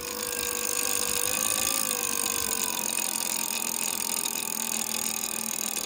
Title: Bbs02 strange noise